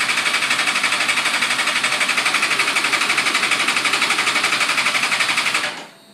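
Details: 2005 GSXR 750 frame with GSXR 600 engine, ran fine then started missing and now won't start; injectors cleaned and firing, battery charged: fast even starter whirr about four pulses a second for six seconds, no firing; owner suspects no spark.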